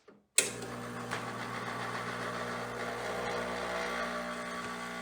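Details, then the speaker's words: Espresso machine test shot of Mayorga Cafe Cubano organic dark roast, 18 g dose, 92°C: steady strained pump buzz at 9.8–9.9 bar, no flow; still too fine, grind must go even coarser. "pictures at again about the same 9.9 9.8 bars still nothing comes out very so we know we need to adjust the grind size even corset"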